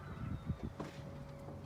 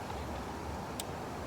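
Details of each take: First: 2000 Dodge Caravan with squealing, knocking engine noises, timing chain ruled out: catches after short crank, fast idle with hissy chattering rasp from belt drive; owner suspects a new tensioner or water pump still breaking in. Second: 2000 Dodge Caravan (Town & Country/Grand Voyager) after working through squeal, knock and grinding noises, timing chain ruled out: steady, even engine hum with no chirp, squeal or rattle from the belt side; tensioner and pump sound quiet and healthy.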